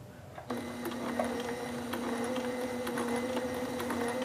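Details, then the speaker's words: Sailrite LSZ-1 sewing machine with new WorkerB motor, sewing fabric, pedal full down on low setting then speed turned up while moving: steady hum then smooth even buzz with fast regular stitching ticks; normal running. "See, I can speed it up as we go."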